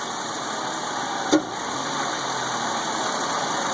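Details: Suzuki Grand Vitara 2.0 J20A petrol engine: steady airy whoosh swelling only when throttle goes wide open, not with gradual throttle; MAF already cleaned; also a whistle at start that fades, perhaps as it warms.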